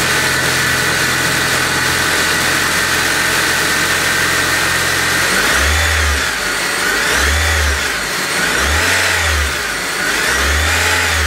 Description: Got this whine sound after I installed pulleys on my 2008 Honda Civic.